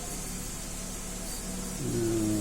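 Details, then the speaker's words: 2010 Mercedes-Benz GLK 350 3.5 V6 after cam solenoid swapped and cleaned, fixing bank 1 misfire and P0017: quiet idle rising smoothly into a clean rev, no stumble; running smooth on all six cylinders, normal rev. "Seems to be running smooth on all 6 cylinders, no more misfires."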